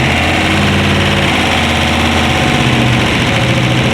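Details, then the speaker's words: LS V8-swapped BMW E46 with unequal-length CTS exhaust manifolds, one flipped and merging into the other: lumpy, slightly irregular exhaust beat over a healthy-sounding engine; bumpy note attributed to the header setup. "we gotta remember though the exhaust is weird so it's gonna cause a weird tone two CTS manifolds right one flip to the front and then merges into the other one so it has a really weird unequal length setup so the exhaust shifts out a little bit bumpy"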